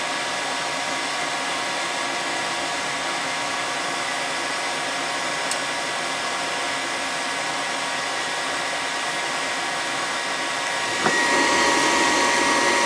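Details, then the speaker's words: Attic gas furnace serving a non-working second floor: with thermostat red and white wires jumped, a steady blower roar, then a click and louder rush near 11 s as the burner lights and runs evenly. The thermostat or its subbase is suspected bad; filter to be checked. "yeah i think we got a bad thermostat downstairs but just jumped out red and white and she fired up right"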